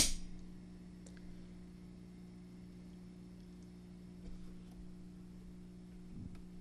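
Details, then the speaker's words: Fender Bassbreaker 15 tube amp after fitting a new tube set, mic close, all volume down: low steady hum persists, seeming to pulse with the flashing standby light; cause not found, should be quiet. "figure out what the deal is why that's still humming and making that much noise it should be pretty quiet"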